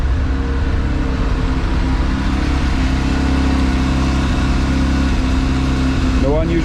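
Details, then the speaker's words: Mazda RX-7 FD rotary idling to warm up after a cold start from storage: a steady, smooth, low buzzing idle with no misses, knocks or surging throughout; warming up normally. "so i just let it idle for a moment and i'll be back in a second once it's a bit warmer"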